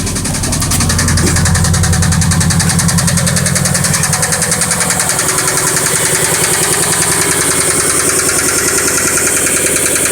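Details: 1998 Subaru Impreza GC3 EJ16, 250,000 km, often revved to redline: heavy, regular knock about three or four per second through idle; blown engine, badly damaged bottom end.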